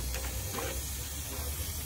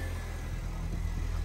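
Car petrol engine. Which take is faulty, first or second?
first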